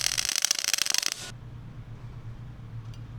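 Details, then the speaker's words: Millermatic 211 MIG welder with ER70S-6 .030 wire: harsh, uneven popping and stuttering arc, not the sizzling-bacon sound of a good weld, because wire speed is too fast or heat too low. "For this weld, the wire speed is way too fast or there's not enough heat in it."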